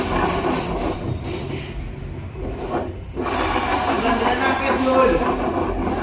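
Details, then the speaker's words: Honda Vario 125 on centre stand, engine off, rear wheel spun by hand: rough, uneven crunching grind from the rear, barely heard when riding; damaged rear pulley bearings. "Jadi ada suara yang kasar banget dan ini sangat mengganggu walaupun ketika se motor dihidupkan dan dipakai jalan itu tidak terlalu kedengaran Tapi kalau ini diorong mesin tidak dihidupkan itu ada suara kasar seperti ini yang berasal dari area belakang sepeda motor"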